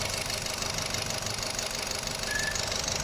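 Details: 2014 Nissan Sunny petrol engine idling with heavy vibration and knocking and no DTC: uneven pulsing beat of one cylinder misfiring, traced by unplugging coils to a failed ignition coil, number four.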